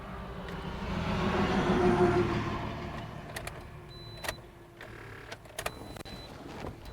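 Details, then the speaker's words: 2011 Toyota Corolla 1.8L with a crank-no-start complaint, cranking with starting fluid sprayed into the intake tube; laboured cranking about three and a half turns a second that sags and fades without catching; slow crank from a weak battery. "okay the battery is weak let me see if my battery charger"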